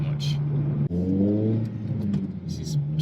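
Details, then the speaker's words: Honda Civic Type R (FN2) with old aftermarket exhaust: deep boomy, droning, "trombony" farty note as revs rise, worst at low town speeds, engine itself hard to hear; owner replacing it with standard exhaust. "that's a bit booming a little bit embarrassing I feel a bit of a bit of a proud sometimes I did to have someone who made farty noises at me through the window"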